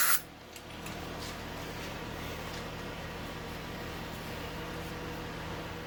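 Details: 1997 Honda 300EX ATV single-cylinder after oil change: steady even low idle hum with no knocks or misses; runs smoothly and healthy.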